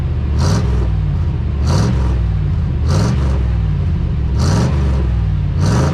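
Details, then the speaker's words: 1991 Chevy Silverado OBS small-block V8 with 399k miles, idling with plugs and wires still due: deep, loud open-pipe rumble with light throttle blips, firing even, no ticks or knocks; healthy normal idle. "Yeah, dude, that sounds all right. Little small block action."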